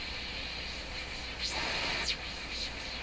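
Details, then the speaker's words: Hammarlund SP-600 receiver, after cleaning dirty contacts with alcohol-dipped paper to cure noisy tuning: soft steady hiss, clean whistles sliding across dial, no scratching, crackle or dropouts; tuning now quiet. "Can you see that mark I just pulled off there? There's the crap in there. Tuning is quiet."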